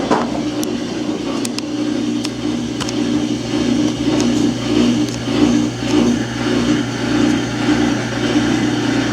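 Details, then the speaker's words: Samsung washing machine under a year old on spin cycle: low motor hum with uneven surging thumps about twice a second and scattered clicks, tub shifting, drum never winds up; fails to spin. "on the spin cycle and not spinning. Won't complete the cycle. Still not working. Spin cycle will not spin."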